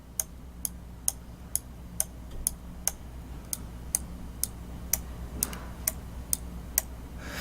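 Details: Roccat EMP gaming mouse left and right click switches: sharp, bright clacks about twice a second over room hum, loudest as the button snaps back up on release; noisier than Roccat XTD and Logitech G403.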